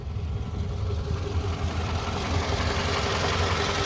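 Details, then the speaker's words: 2006 Toyota RAV4 after engine flush and oil change, heard after the service; steady, even idle rumble with no sharp ticking standing out; engine runs smoothly, normal idle. "All right, here's what the after sounds like."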